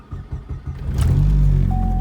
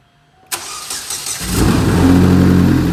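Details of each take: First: Big-turbo Chevrolet Cobalt SS on E85, cold start: uneven stumbling putts nearly stalling, then a throttle blip lifts it to a steadier rev; also misfires under boost with check engine light, owner suspects spark plugs. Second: Big-turbo Chevrolet Cobalt SS on E85, after the spark plugs were cleaned and re-greased for a suspected plug misfire: the engine catches and settles into a steady, even idle with no stumbling, break-up or check engine light.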